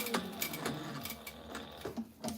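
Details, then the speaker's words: Sewing machine stitching a label onto a nylon fanny pack: short bursts of fast stitching with a light loose rattle; the bobbin is rattling because its thread is running low and needs changing. "I can hear the bobbin in there rattling around. That means we're getting close."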